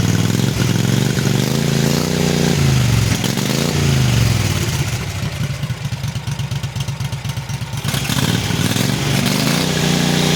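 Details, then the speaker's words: Cub Cadet 2186 Kohler Command CH18/CH20 V-twin after rebuild, ticking cured by reinstalling OEM pistons and wrist pins: smooth rise and fall with throttle, even beat, no top-end ticking; healthy and quiet. "so I put the OEM Pistons back in OEM wrist pins back in and um noise is gone it is nice and quiet like a command should be"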